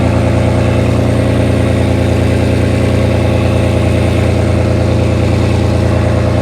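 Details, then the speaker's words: 1998 Audi A6 Avant salvage-auction car, former non-runner, started right up with AC on: heavy, steady low drone at idle, much louder than it should be, even pulse; loud exhaust. "Yeah, it's loud. It's really loud. So if the mic starts peaking on you guys, please forgive me. Nothing I can do about it."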